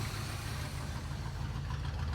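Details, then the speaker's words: 1980 GMC K20 square body V8, sitting since about 2014, restarted after filling the carburetor bowl: deep, even rumble with steady beat, no knocks or misses; oil pressure pegged; normal healthy idle. "How's our oil pressure? Pegged. She sounds awesome. Holy cow."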